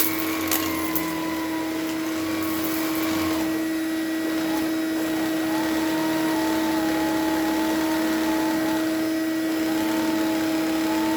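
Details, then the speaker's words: Electrolux LE vacuum after cleaning out and replacing worn parts, no filter fitted, during airflow and wattage test: steady even motor drone with a clean constant whine, no surging or rattles; normal running. "well it's uh definitely a lux sounds like a lux feels like a lux i mean there's really not a lot to say about it"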